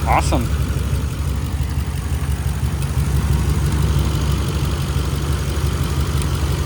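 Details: 2011 Ram 1500 5.7 Hemi 4x4, after a temporary fix for a crank-no-start fault (owner links it to the fuel pump relay): deep, steady V8 idle holding an even beat with no stumbling; engine idling normally.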